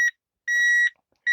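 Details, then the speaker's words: Budget AliExpress metal detector switched on: clean high-pitched beeps, about half a second on and half a second off, repeating evenly. Normal power-on beep. "You can hear it beeping."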